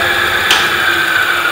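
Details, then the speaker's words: Hub motor on an e-bike with Adaptto controller during timing setup at about 50 km/h: smooth, steady high-pitched whine with one brief click and no roughness; timing set to the smoothest point, motor running cleanly. "it will be a little bit noisier because it's 50 kilo per hour"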